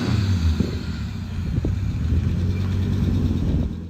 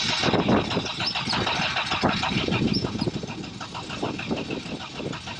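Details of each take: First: 1986 Audi 4000CS Quattro running after sitting for a few years: a low, slightly uneven rumble that holds after catching. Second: 1986 Audi 4000CS Quattro that had sat for a few years: the starter churns at a steady, fast rhythm through two long attempts with a pause between, never catching. It cranks but won't fire; cause not confirmed.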